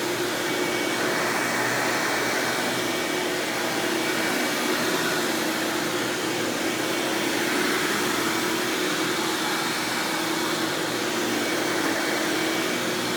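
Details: 1997 Hoover Dirt Finder Power Drive U6331-930 self-propelled upright vacuum running in floor mode: smooth, steady motor hum with even airflow rush, no rattles, squeals or belt slap; exceptionally smooth and surprisingly quiet, normal running.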